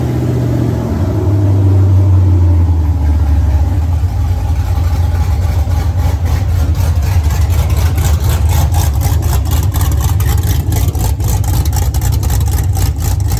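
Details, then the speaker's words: 1983 Ford Mustang with a rebuilt 5.3 LS V8 (cam upgrade) from a 2002 Avalanche and a 4L60E. Thermostat not yet open; oil pressure 40 at idle, 70 revved. It catches quickly, even rumble, clean revs, normal. "So Riley's ecstatic. Everything sounds good. Everything ran good."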